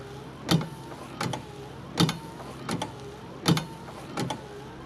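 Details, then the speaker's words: 1994 first-generation Dodge Dakota after a wiper motor replacement with the linkage reattached: wipers running with a sharp metallic clunk at each end of the stroke, about forty a minute, over the motor whir. Clanking remains from the wiper linkage. "I still hear some clanking from the linkage."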